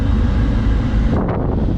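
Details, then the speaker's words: 2006 Jeep Wrangler TJ with no heat, engine cold: steady even rush of air with low deep whoosh, no ticking or squeal, as vacuum door actuator works; blower running fine. "can hear that that's clearly working and then we'll go to defroster and you just heard it swap now we're blowing out of the defroster"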